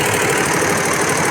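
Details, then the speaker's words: Unix embroidery machine after a new shuttle was fitted and timed at 16, threaded with bobbin in: steady, even whirr and regular clatter, no stalls; runs normally now, whereas before the thread broke immediately. "अभी थोड़ा बराबर चल रहा है, पहले तो तुरंत धागा कट रहा था।"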